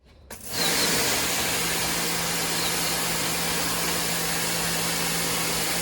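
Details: WAP Extreme Turbo 2800 pressure washer cleaning stone floor: steady even motor drone with low hum and constant spray hiss, no surging or knocking; normal operation under load.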